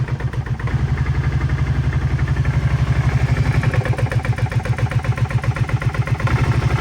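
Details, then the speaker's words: 2011 Kawasaki Brute Force 750 idling without throttle: lumpy, uneven thumping idle with pulses wandering in strength and speed, constantly dies at idle but fine with throttle; rough idle, idle air control valve suspected. "so let's see if we can fix that really rough idle. And it seems to constantly die too if you're just idling, but when you're giving it any throttles, it's just fine."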